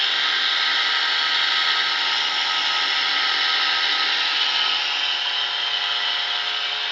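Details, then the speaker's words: Samsung washer-dryer exhaust fan motor that circulates hot drying air, run with turbine removed: loud constant high whir with rough gritty edge; owner suspects a worn bearing in the sealed, non-serviceable motor, lubricant didn't help, motor replacement likely. "E o problema, aparentemente é no rolamento desse motor, que é um motor blindado, não tem acesso a ele, não dá para trocar esse rolamento, ó."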